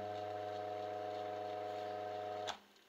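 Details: Two-speed Rainford/Indesit washing machine motor (type M12.93.01.45) on 220 V with 12.5 µF capacitor, low-speed 420 rpm winding: steady smooth low hum for a couple of seconds then cuts off; runs cleanly.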